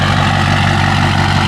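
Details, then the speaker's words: Built 6.0 Powerstroke diesel with Turbo Time GXR-7 non-VGT turbo, idling before its first drive: deep, even idle with a steady low rumble, no misses or knocks; normal idle. "but as you can hear this thing is just sitting here purring like a kitten"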